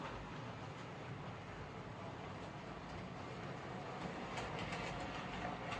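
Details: Hornby 08 shunter after repair: coupling rods bent slightly to clear the brakes, cleaned and lubricated; smooth even motor hum with rail clatter and no clicking; now runs fine.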